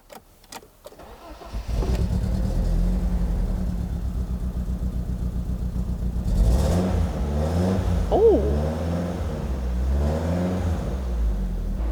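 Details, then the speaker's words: 28-year-old BMW Z3 started after a new coil and spark plugs to cure an earlier misfire. It cranks, catches and settles to an even idle with clean throttle blips: running smoothly after the repair. "that sounds all right."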